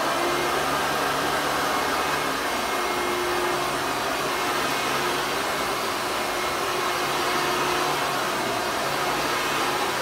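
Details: 1993 Hoover Legacy Supreme upright vacuum: very loud, steady, harsh roaring whir with no rise or fall. The motor sounds rough and unusually noisy. Owner says the motor needs grease and a fix or rebuild; the cause is unconfirmed.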